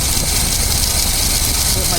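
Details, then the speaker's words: 2003 Dodge Dakota 4.7L at idle, just after a water pump replacement and coolant refill: a constant dry, rough whirring hiss rides over the engine; worn idler pulley bearing noise. "so and you can definitely hear that uher bearing is definitely uh Wheeling there I'm going let"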